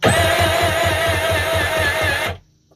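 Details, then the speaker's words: Kawasaki 1100 jet ski during compression test, weak starter or battery: engine spins at even fast beat with no cylinder pushing back; middle cylinder reads zero compression, suspected ring problem or burnt piston. "Zero. No compression. So, this motor's bad."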